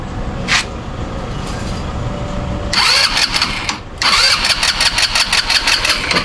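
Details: Easyride 150N motorcycle, hard to start: several failed cranks, then it fires, rattles, dies and restarts roughly; an XRM 125 DC CDI is fitted as the fix.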